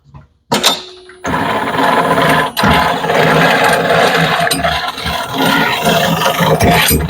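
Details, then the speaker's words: Raymond 770-R45TT lift truck, called out for a G4 code: harsh gritty grinding and rattling as the steering turns, from a worn-out steer bearing needing rebuild; a worn steer bearing can cause difficult steering and damage the steering amp. "Just listen to that. Just absolutely atrocious sounding."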